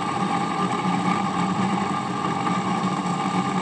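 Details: HP 8901B Modulation Analyzer running after capacitor replacement while checking the +15 V and other rails, original fan still fitted: constant whirring drone with a steady tonal hum; noisy cooling fan, later replaced.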